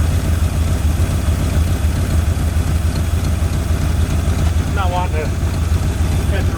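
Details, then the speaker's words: 1981 Ford Mustang 5.0 V8 revived after sitting, with the throttle cable not yet hooked up. An even, steady V8 burble with no misses or knocks, sounding very healthy; the idle is slightly high. Normal idle. "that's exciting I'm happy engine sounds really good very healthy"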